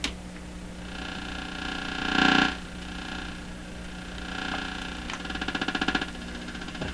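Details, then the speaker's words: Canadian PYE Model 39HC radio tuned to 455 kHz while checking first IF transformer fault: steady hum with quick irregular ticking that comes and goes; intermittent clicking, possibly static on outdoor antenna jumping over, not confirmed. "oh that's the antenna cord that's not a signal generator that's what's on my antenna so one possibility is this is static electricity on my antenna outdoors jumping over at some point it's possible that's what this is"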